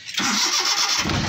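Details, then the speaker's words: 2017 Suzuki Bolan after timing belt change and water pump pulley refit: brief starter whirr, engine catches immediately and settles into a steady idle with no misses or knocks; normal start. "ਲਓ ਪਿਆਰੇ ਭਾਈ, ਅਲਹਮਦੁਲਿਲਾ ਗੱਡੀ ਹੋ ਗਈ ਹੈ ਫੌਰਨ start, check ਕਰ ਸਕਦੇ ਹੋ ਜੀ,"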